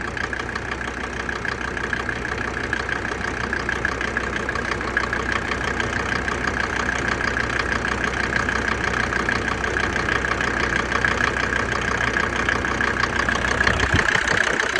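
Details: Mercedes OM605 diesel idling about 17–20°C, knock starts ~3 minutes after glow plugs switch off, worse around 10°C: rapid, fairly regular clatter about three a second over idle; oil cap not lifting; cause unknown, unresolved.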